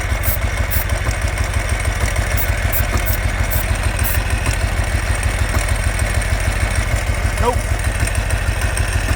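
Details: 2005 Ural Patrol motorcycle firing only on the left cylinder: uneven, lumpy idle with a lopsided pulse about three times a second while starting fluid is sprayed to test for an air leak, none found; misfire, running on one cylinder, cause unconfirmed.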